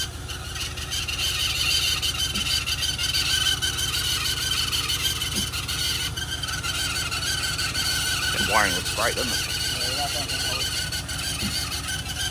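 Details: LS1 V8 in a Holden Adventra bought in 2022, badly degraded after six months' storage with about 10 minutes total running and power backing off near 3500 rpm: high sharp squeal over a roughly regular knock; heads later pulled, lifters looked fine.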